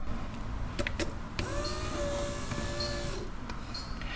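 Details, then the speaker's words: Toyota Landcruiser 80 Series left-hand rear electric window regulator, repaired and lubed, tested on bench: after a couple of clunks the motor hums smoothly at steady pitch with no grinding; normal power window motor operation. "Does it work? Oh, look at that, it works."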